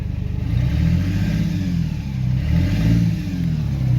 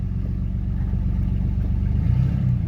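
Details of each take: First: Modified truck after a jump: in first gear the engine drones and surges with a low, uneven clatter, while second gear works; first gear suspected gone, transmission to be rebuilt or replaced. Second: Modified truck after a jump, first gear gone: shifted into second, steady low engine rumble with even pull and no slipping flare, clunks or whine; second gear works fine.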